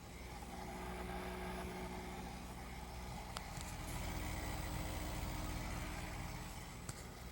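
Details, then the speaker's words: COZEWARE Visio 12000 BTU 20 SEER2 mini-split outdoor unit cooling, drawing about 500 W, microphone held close: low, steady hum with faint even tones, no knocking or rattling, compressor sounding fully ramped up; very quiet, normal compressor operation. "Outside unit's running, it's extremely quiet. I love that. Right now it sounds like the compressor is pretty much fully ramped up."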